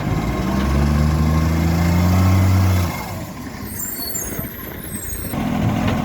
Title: 45 with an exhaust leak